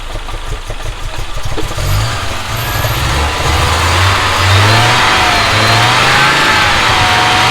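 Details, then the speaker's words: Audi 2.2 Bosch K-Jetronic with new-old-stock injectors, idle screw turned down from about 2000 rpm, just started: uneven raised idle with irregular exhaust pops; owner suspects over-fuelling, plans leaning mixture screw, adjusting idle and sensor plate. "maybe lean off the mixture because it was popping and buying quite a bit which is usually sort of over fueling"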